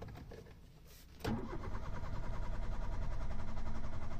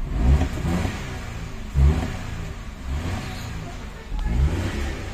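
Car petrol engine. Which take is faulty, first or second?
first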